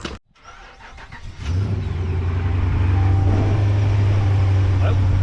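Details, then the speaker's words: Diesel Dodge truck at a Ritchie Bros auction preview catches and settles into a steady, even low idle with no tapping or knock, the first Dodge started there that didn't tap like crazy; sounds healthy, normal diesel idle. "ah it's like the first dodge we started here that didn't just didn't just tap like crazy yeah it actually does sound pretty good"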